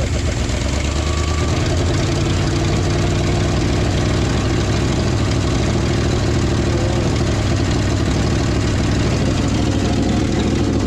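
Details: Old hybrid Ford F350 bumpside V8 that sat since the late 90s/early 2000s, cold weather, running on a temporary jerry-can fuel hose: deep, steady, even idle with no knocking or stumbling; normal idle.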